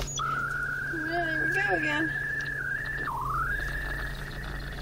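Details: Car FM transmitter while a friend's iPod charged: steady high whistle with low hum underneath, pitch dipping and sliding back up like a spaceship; electrical interference through the transmitter.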